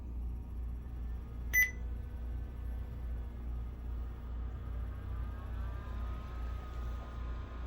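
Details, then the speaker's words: BenQ HT1075 DLP projector, top off, lamp door switch bypassed, during color wheel replacement: one short high beep over a steady low fan hum, normal power-on signal. "We should get our little doo-doo in a moment."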